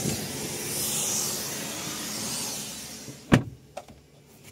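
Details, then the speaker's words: Haval M6 door after steady hiss gives a single dull thud and light clicks but fails to latch on soft close; only latches when slammed hard, doors also creak, a common fault on this model. "Вот присутствуют вот такие моменты, когда она не сразу закрывается. Вот надо чем-нибудь этим заняться вопросом. Пока сильно не кинешь, она не закрывается."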